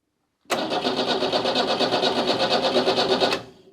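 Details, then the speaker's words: Renault 4 police car, hot-wired with a remote starter button, not in gear and not meant to start; about three seconds of steady, even whirring at roughly three turns per second with no catch. Normal cranking. "I should be able to push this and the engine should spin over but it shouldn't start or anything and the car is not in gear so let's attempt to see if something happens just a short press of a button to begin with oh yeah yeah that sounds just fine"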